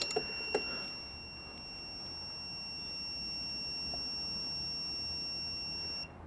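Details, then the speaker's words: Honda CB360 static timing after points gap and plate adjustment: steady high multimeter continuity tone for about six seconds, then cuts off as the points open near the LF mark; now very close. "all right as you can hear they're touching and come up on the LF mark we'll see how much of a difference we made"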